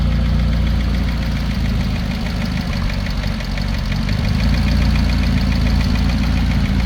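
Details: McLaren 570S at idle; sharp, even tick about three or four per second over the idle from a failed rocker arm in the valvetrain.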